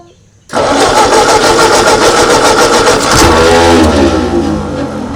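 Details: 1939 Ford tractor, 20+ years in a field, hand-choked with throttle at its lowest: cranks and catches within half a second, runs evenly, then revs sag smoothly as the throttle comes down; runs briefly, running normally.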